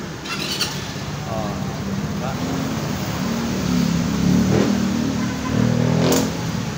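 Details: Motorcycle after a repaired broken starter/check-engine wire connector, check engine light showing: engine catches, runs slightly uneven at first then even with a couple of clean revs; normal start and rev.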